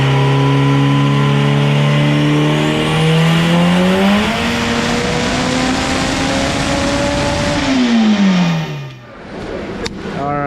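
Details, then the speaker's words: AWD turbo Integra dyno pull at 30 psi making only 502 hp: the revs climb smoothly, then the engine note sags and falls away as boost drops off. A boost leak is suspected, pending a boost leak test. "So that was 30 pounds of boost. It only made 502, so something's definitely going on. We're gonna try to boost leak test it real quick and see what's going on, but as you can see, it makes real good boost and then it starts to drop off."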